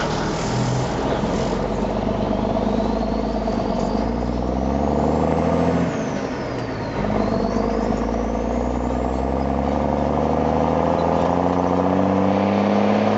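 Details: M35A2 deuce and a half diesel after fitting an AeroTurbine 3535XL muffler: idles evenly, revs up smoothly and settles back with no rattle, drone or choking; no change in exhaust gas temperatures; healthy engine and exhaust.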